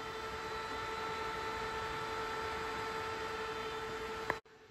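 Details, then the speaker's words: Be Quiet Silent Wings 4 Pro fans in the rear pull position on a Noctua NH-U12A air cooler: steady airy rush with fixed pure whining tones; tonal fan whine; cause suspected as fin spacing, not confirmed. "well I must say these be quiet fans particularly in the back position makes a terrible noise on my nocto cooler"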